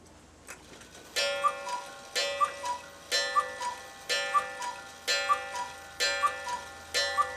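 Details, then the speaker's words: Cuckoo clock after cleaning and oiling, which had stopped after a few minutes of running: seven clean two-note cuckoo calls about a second apart with bellows puffs and steady timing; the strike now works properly. "and there we go we have a working cougar clock again doesn't just run for 5 minutes anymore"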